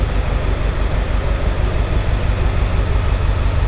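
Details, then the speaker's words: Ford F250 7.3 Powerstroke diesel just started after two starters, a solenoid and new injector driver module fitted: catches and settles into strong even low thump about three times a second, no misses or knocks; running normally. "Oh, ho, ho, ho, ho. She is away. Well, that's a miracle. That is a miracle."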